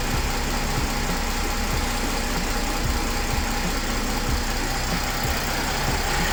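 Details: Mercedes CLS 320 CDI 3.0 diesel with engine light and power loss, after replacing the turbo actuator: even diesel clatter at a steady idle with no misses or surging; the engine idles smoothly.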